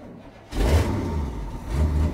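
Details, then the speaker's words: 1979 Chevy C20 big block truck, sat 10–13 years, fuel pump mounted near frame rail; cold start with choke; catches with low uneven rumble, sags and nearly dies, then picks up with throttle; owner thinks it needs more choke. "it's stuttering a little bit but we're just starting out so hopefully when it gets warmed up it'll smoothen out she died"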